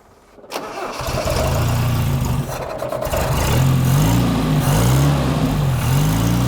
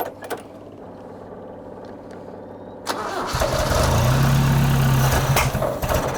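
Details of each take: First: Toyota RA28 Celica Fastback, just restarted with a quarter choke on a warm day: the engine catches and settles, but the idle wavers and hunts. Owner is unsure whether the right vacuum lines are blocked off. Rough idle, engine viable. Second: Toyota RA28 Celica Fastback carbureted engine with ballast resistor bridged and fuel added via accelerator pump: starter cranks steadily about four turns a second, then catches and settles into an even idle; viable, healthy start.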